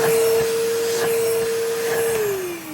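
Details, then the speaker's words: 1980s Hitachi 790 bagless cylinder vacuum during refurbishment, blocked corroded sponge vents removed for better airflow: clean steady high whine then smooth run-down at switch-off, no bearing rumble; sounds better than before. "it doesn't sound as bad as it did before if you can actually believe it"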